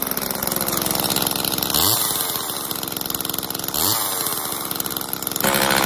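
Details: Homelite XL chainsaw after carburetor rebuild and new fuel/oil lines, final test with bar and chain fitted: crisp, even two-stroke buzz climbs cleanly on two quick throttle blips and settles back without stumbling; runs healthy.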